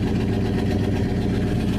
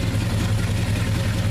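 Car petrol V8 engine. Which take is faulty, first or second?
first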